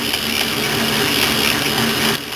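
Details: South Bend 9A lathe gearbox, left tumbler in hole A, right tumbler in hole 1 (4 TPI, lead screw turning fast): smooth, even gear whir with no thump or knock; quiet and healthy.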